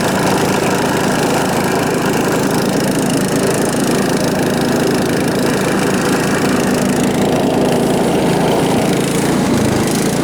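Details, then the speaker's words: John Deere STX38 riding mower with Kohler Command engine: runs steady but harsh and very loud with an open, raw exhaust bark because the muffler has come disconnected. "the muffler itself has uh come disconnected so it either needs to be repaired or replaced or or drive it really loud"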